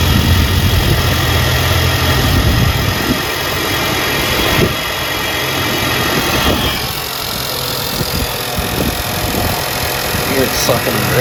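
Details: Engine just started after installing an Integrated Engineering intake, coolant topped off, engine cover on, not yet warmed up: steady idle with soft sucking hiss from the intake over the engine note, no knocks or rattles; normal induction sound.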